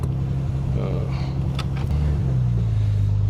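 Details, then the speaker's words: 1974 Triumph TR6 driven slowly after sitting for years, still warming up: heavy uneven low rumbling and droning starting as the clutch is released; differential suspected shot, U-joint looks fine. "Holy crap. Do you hear that? Oh my god. What is that? I think the differential is shot. Yeah, that happens as soon as I release the clutch."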